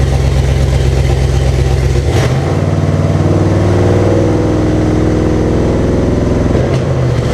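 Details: 1998 Jeep Cherokee XJ with swapped 2005 5.3 LM7 V8 (706 heads, LS1 intake, reprogrammed computer, 4L60E without fluid): first start, uneven lumpy beat wandering when revved; rough running, cause not yet found.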